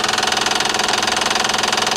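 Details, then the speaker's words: Car with a fast, even, light and sharp ticking over a steady idle. The owner suspects the timing belt tensioner or no oil pressure reaching one cylinder head, now the rear one; the engine later shut off by itself. Cause unconfirmed. "Ah será el tensor de la faja de tiempo o será que no le está llegando presión de aceite a una de las culatas otra vez ahora la de atrás"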